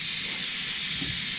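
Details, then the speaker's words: XL Step Deck Stretch trailer air suspension, ride height switch turned fully off to dump all air before loading or unloading (brakes must not be set); loud steady rush of escaping air, no knocks or chatter; normal dump. "This is going to dump all the air. And it's going to dump it pretty"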